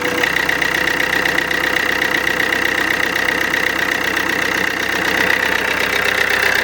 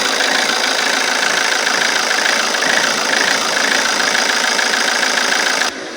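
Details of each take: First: Alfa Romeo Giulietta 1.6 MultiJet2 diesel after fixing rough idle: even idle with steady light clatter and faint constant whine, no stumbling; normal idle. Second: Alfa Romeo Giulietta 1.6 MultiJet2 diesel, before repair: idle hunts and stumbles irregularly, worse at times with puffs of black smoke; rough idle.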